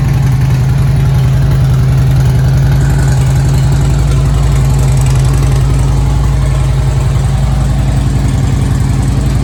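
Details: Harley-Davidson Street Glide Twin Cam after Screamin' Eagle cam support plate and high-volume oil pump upgrade: even loping idle, steady firing pulses, no knocks or ticks; hot-idle oil pressure a few psi higher than before; normal healthy idle.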